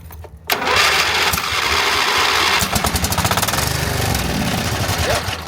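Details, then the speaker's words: Craftsman GT5000 riding mower, 22 HP Briggs & Stratton OHV V-twin with a no-start: on starting fluid sprayed in the intake it catches hard, runs seconds, stumbles and dies; owner is nearly certain the carburetor is clogged. "Yep. There it is. Okay, well that's, guys, that's confirmation right there. To me, that's just about 100% confirmation that the carburetor is in fact clogged."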